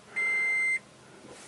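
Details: 2013 Toyota Prius (third generation) after replacing the 12-volt battery: a single steady high beep about half a second long, then a quiet cabin; normal start-up chime once power is restored.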